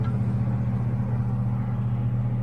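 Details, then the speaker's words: 1977 Chevrolet Malibu Classic power window: a steady, unchanging low hum with clicking as the window creeps along very slowly; owner thinks the windows are just tight and may replace the motors. "the power windows I think I checked them before but they were really slow you hear it clicking yeah they're probably just tight oh here it goes"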